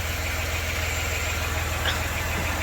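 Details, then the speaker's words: 1993 Dodge Grand Caravan LE, about 166,357 miles, after a new water pump, idler, tensioner and belts, before warm-up: a steady even low idle with no pulley growl or whine, smooth and quiet. "I don't hear no growley pulley that's for sure yep sounds nice and quiet that was our main problem"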